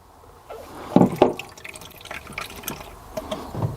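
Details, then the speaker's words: Newly fitted 12 V Whale submersible water pump with a 12 V microswitch tap; with the pipe pulled off the tap, water gushes and splashes unevenly into a bucket without sputtering, so the pump flows normally though no water comes from the tap. "okay what I've done is I've pulled out the pipe and see if there's any water that comes out Okay so we've got water flow"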